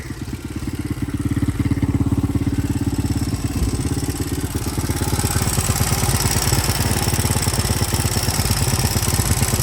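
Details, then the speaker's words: 1983 Honda XR200R single-cylinder dirt bike, revived after years sitting, idling outdoors with idle turned up: loose thump with light tappety valve chatter, no smoke; owner considers the chatter normal for these engines and better than a too-tight valve. "A little bit of a chatter, but that's I think just the valve. I don't think these engines are really ever super quiet. Better to hear a little bit of chatter than none at all."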